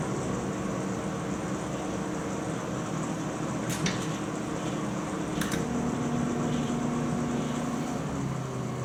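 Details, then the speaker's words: GE microwave started after sitting 5 years, 1 minute at power level 3: even fan-and-transformer drone, low steady buzz joins partway as magnetron switches on; normal magnetron cycling. "We'll go time cook, 1 minute, and we'll go power level, we'll go 3, just so you can hear the magnetron cycle on and off. So there it goes off again, which it'll be for a couple minutes, or seconds."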